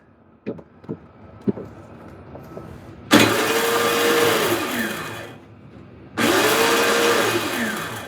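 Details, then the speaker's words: Trash-day Toro CCR3650 snowblower, 2-cycle R-Tek engine, carb cleaned and new fuel lines, electric start tried: two bursts of high whine spinning up and down without firing; the starter works but the Bendix isn't catching. "Sounds like the Bendix isn't catching. Well, the starter works, but the Bendix isn't catching."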